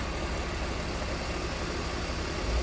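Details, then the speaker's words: 2004 BMW E46 325i Touring, jump-started after sitting unused for a very long time: a smooth, even low rumble at steady idle with no knocks, ticks or hunting. The engine sounds healthy. "But that sounds so good, that engine."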